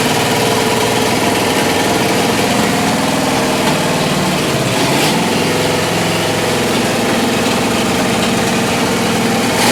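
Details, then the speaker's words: Rat rod on straight open headers, timing set roughly, running on almost full choke: a loud, lumpy idle that surges and sags unevenly; carburetor fault suspected, rebuild kit needed, too little fuel in one place and too much elsewhere. "it runs it runs it runs it runs it doesn't run smooth uh there's prob that carburetor is probably going to need to come apart I'm going to have to order a rebuild kit for it there's probably something in that carburetor that's not working"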